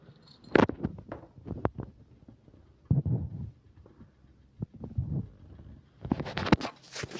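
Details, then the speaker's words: Bike silencer just after an hour's ride, engine off; sparse irregular light ticks as it cools. Normal expansion and contraction of hot exhaust metal, not damage. "আসলে আমি গাড়িটা প্রায় এক ঘন্টা চালাইলাম। চালানোর পরে একটু স্টার্ট বন্ধ করছি। তো এই এখন সাইলেন্সার থেকে এই আওয়াজটা আসে। এটা নরমাল। এটা ধীরে ধীরে ঠান্ডা হচ্ছে।"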